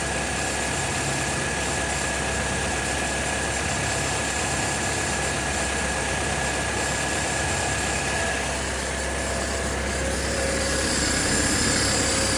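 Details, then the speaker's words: 1999-2005 Oldsmobile Alero/Pontiac Grand Am at steady idle, warming until the thermostat opens during a coolant flush; a thin constant high whine rides over the engine from the power steering pump, which is leaking a good bit. "power steering pump's leaking a good bit, and you can hear it whining right now."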